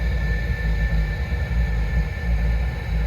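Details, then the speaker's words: Propex heater on Calor gas, valve opened, lowest setting on a cold day with the camper under 10°: steady low burner roar under a constant fan whine, even and unbroken; electric ignition fires and it runs normally. "We should get some heat. There you go. Hear it fire up then?"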